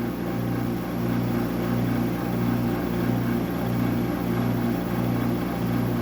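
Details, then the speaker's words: Refrigeration unit, fan motor and compressor running (draws about 0.01 A and 1.2 W idle, power factor 0.80): loud constant low hum with a soft pulse about every second; excessively loud running noise, typical of these units. "A noisy fan motor. Well, it sounds like it has freon in it. It's very loud as these are. These things are so so noisy."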